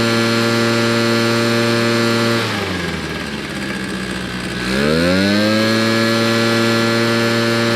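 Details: Old RedMax two-stroke leaf blower after carburetor cleaning, tank cleaning and new fuel lines, run outside: crisp buzz holds steady, drops away briefly, climbs back clean and even; running healthy.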